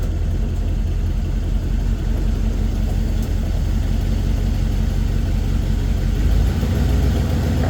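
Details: Chevy 350 V8 square body 4x4, running after a quick fuel line replacement fixed fuel squirting and a no-start: deep, steady idle rumble, even unbroken beat, no knocks or stumbles; normal idle.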